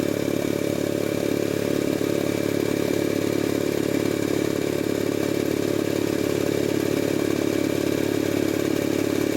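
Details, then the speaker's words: Jenny K-style pump 2 hp compressor with a failed unloader, pilot valve clogged by oil debris from storage: steady, even rapid thumping about three and a half beats a second, no knock or hiss, building pressure normally before short cycling starts near 50 psi. "Okay, machine is building pressure normally."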